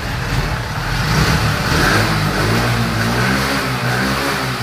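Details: TVS XL100 BS6 moped after the throttle body with a broken sensor was replaced; it used to stall as soon as the throttle opened. Now it revs smoothly and holds the revs without stumbling or cutting out: normal revving.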